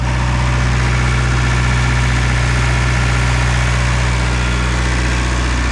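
Deep, steady diesel drone holding an even beat of about four pulses a second, no misses or knocks; the generator runs healthy.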